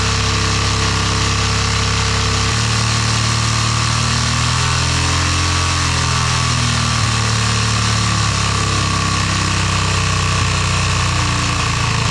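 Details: Yamaha motorcycle being fired up after a brand-new carburetor was installed: it starts and holds a steady idle with a faint high whine on top, running fine without stalling.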